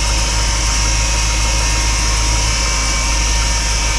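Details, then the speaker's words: GMC Yukon cold start in a deep freeze, needed a booster pack: steady thin whine over the idle at constant pitch; owner suspects the power steering pump is low on fluid from a leak. "power steering pump sounds like it's low on fluid if you got a bit of a leak"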